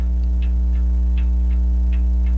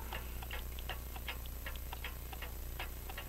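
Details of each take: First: French crystal regulator clock, sold as non-running, open escapement with jewel pallets: light ticks every 0.35–0.4 seconds with uneven tick-tock spacing over a hum; slightly out of beat. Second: French crystal regulator clock with open escapement and jewel pallets, after being set in beat: crisp, evenly spaced tick-tock with no limp between beats; running in beat.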